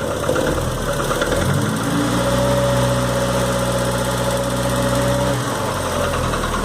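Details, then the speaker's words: 1990 VW Voyage, AP 1.8 petrol engine, knocking at idle, slight oil leak: rough dull knocking through steady idle hum; later water-oil mixing led to full engine rebuild. "galera e aí beleza eu queria saber se vocês poderia me responder aí o que é esse barulho sei que está fazendo barulho mês seco o som é na lenta"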